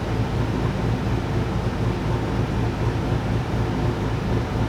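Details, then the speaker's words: Boosted LS V8 drag car (VEE080) under load, breaking up with an uneven, stumbling beat and irregular dropouts; misfire under boost, intermittent, some runs fine near 480. "you can probably hear from the footage it's breaking up it's causing a few issues"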